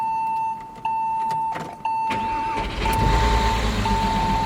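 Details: Porsche Boxster six-cylinder unused since about 2010, first start on fresh gas: cranks with a chime, catches and settles into an uneven, shaky idle; owner suspects it needs spark plugs.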